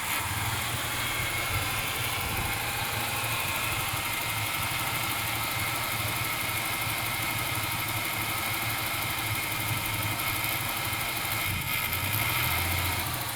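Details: 1996 Ford Falcon EF 4.0L inline six: uneven idle beat with speed dips, stumbling miss in P, N or D; smooth under load, compression in spec, no vacuum leaks. Idle misfire.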